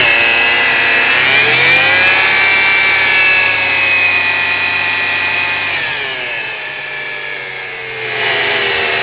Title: Weird engine noise.